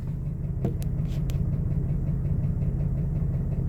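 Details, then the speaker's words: Slow warm idle with a light tick of about 280 a minute over the rumble, from a 2002 Jeep Wrangler TJ 4.0 straight-six with a Banks turbo, near 257,000 miles. It was first misdiagnosed as a lifter, but replacing the lifters didn't help; a broken piston skirt was found. "My Old Faithful and I have a worsening tick coming from underneath the hood and I don't know whether to start up top or go down below"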